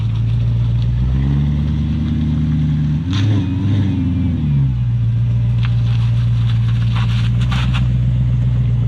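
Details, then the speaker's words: BMW E39 540i after a large burnout: low engine drone with rough wavering rumble from rear as car pulls away; rear differential locked up, spider gears likely chewed. "what we have here is a diff that is tea totally locked up spiders probably chewed the pieces inside"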